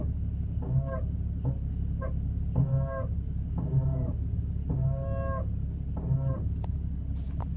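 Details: Porsche 981 Cayman S brakes: repeated short, honking groans about half a second each over a steady low rumble; owner asks whether this is normal, cause unknown.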